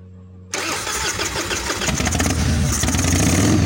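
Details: 1996 Harley-Davidson FXSTSB 1340 Evolution with Mikuni HSR 42mm carb after cleaning, accelerator pump and idle mixture set to 1.5 turns: catches cleanly and settles into a loping, uneven V-twin beat that builds slightly with throttle; sounds healthy.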